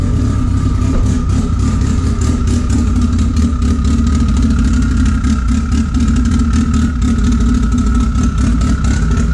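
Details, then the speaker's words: Big-cam Honda with a large intake and throttle body, previously only idling around 1500 rpm; idle issues now sorted. Choppy, loping idle around 1100–1200 rpm with uneven exhaust pulses, otherwise steady. "I actually had some idling issues with it, like I was telling you guys, but I got it all sorted out. This thing chops like a motherfucker now."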